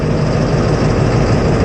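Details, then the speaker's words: 1999 Ford F-350 7.3 Power Stroke diesel, unstarted about 4 months, no-start, at about 5 °F with ICP sensor unplugged: deep, uneven, lumpy idle rumble with smoke; runs rough, faulty ICP sensor, replacement planned. "So with our ICP sensor unplugged, it runs. Runs a little rough because it's about 5 degrees Fahrenheit out here,"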